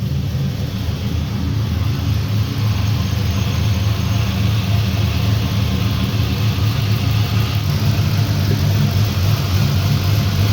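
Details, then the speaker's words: 1965 Impala with LS swap, cammed 5.3 V8 on base HP Tuners calibration just after first start: deep lumpy idle, steady loping beat about 3.5 pulses per second, even and settling, no leaks seen; healthy. "Oh, that sounds nice. [Music] [Music] see anything running on the floor? That's a good sign."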